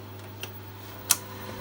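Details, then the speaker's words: Megastor system with 8-inch floppy drives during disk access: two sharp, isolated clicks about two-thirds of a second apart over a steady low hum. This is the older drive's normal head-load mechanism; the BASF drive is much quieter. "Clicking going on, that's the old drive head load mechanism."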